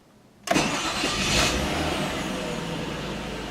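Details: 2001 Mazda 626 at 99,015 miles, engine still hot, after new timing belt and water pump: starter catches almost at once, fires cleanly into a smooth even idle, no knocks or ticks; healthy hot start.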